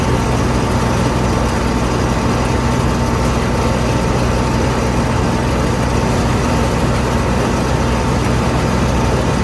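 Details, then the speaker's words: Combine diesel engine running: heavy drone with a steady faint high whine on top, no knocking; persistent noise for three years, source never found, no problems caused so far. "It's always done it. I can't find the source of it to stop it, so I just kind of have to deal with it."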